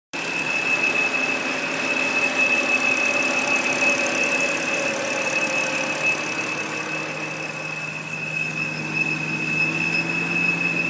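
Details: 2007 BMW 328i sedan, automatic, parked: sharp, steady high-pitched teapot-like whistle over a rough idle that flutters around 600-700 rpm and revs on its own, stalling when stopping; possible causes raised include the crankcase vent valve, valve cover, brake booster or vacuum lines, unconfirmed.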